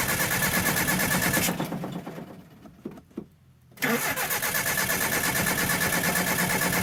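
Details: 1984 Nissan 720 with a Z24 four-cylinder, first start after sitting about 20 years, fed hand-poured fuel with a belt slipping. Engine revs to about 4,500 rpm, then fades, nearly dies for about two seconds and catches again. Owner suspects too little fuel from the tank.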